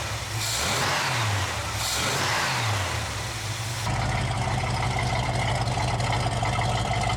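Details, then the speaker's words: 1983 Chevy K20 V8, power steering fluid empty: revs twice, then a steady high screech over the idle; loose power steering belt slipping badly, leaving almost no power steering. "As you guys could probably hear in the video, power steering belt is slipping a lot and it's making quite a lot of racket. Basically have no power steering."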